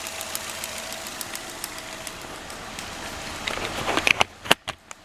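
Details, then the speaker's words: 2007 Nissan Altima 2.5, rough running and power loss uphill, code P0303: quiet idle with light ticking, then sharp snapping cracks as spark escapes a cracked number 3 ignition coil housing to ground below the valve cover; misfire. "so the spark is going to ground inside below the valve cover on the cylinder head"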